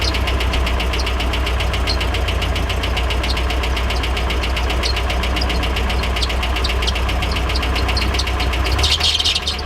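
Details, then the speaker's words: Nissan 240SX S13 with original KA24E, first start after 6 months with a new radiator and electric fans: heavy, uneven idle with a light tick, engine shaking badly; owner suspects the clutch is bogging it. Cause unconfirmed. "Oh God. No kidding, this thing is shaking so badly. It runs!"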